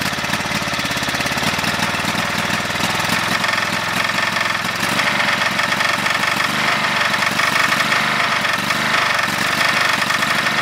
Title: GT5000 Rod Knock.AVI